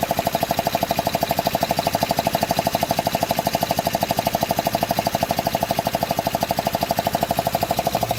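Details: 2005 Honda Odyssey after fixing a cylinder 2 fault with new gaskets and spark plugs: steady, very even tick about three per second over the idle, matching engine speed; source not pinned down.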